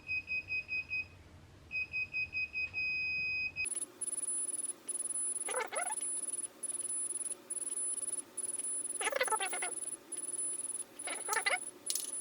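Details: Sur Ron Light Bee MX with KO Factory Spec controller during throttle calibration: quick high-pitched beeps repeat about twice a second without letup, not the short double beep expected; the controller is stuck in a fault and the motor won't run.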